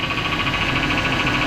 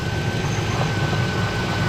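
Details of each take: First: 2005 Chevrolet Silverado 1500 5.3L V8 at idle: a grumbling whine with a faint pulsing high tone from the power steering pump, whose reservoir is empty from a leak. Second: 2005 Chevrolet Silverado 1500 5.3L V8 after water pump work, power steering fluid just topped off on the leaking, empty system: smooth low idle with no squeal or groan; the power steering noise went away.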